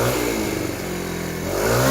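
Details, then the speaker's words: TaoTao 50cc Chinese scooter, having smoked off old residue: buzz rises and falls cleanly with throttle, no stumbling or bogging. Normal revving. "there's no bogging down anymore. I think we did it."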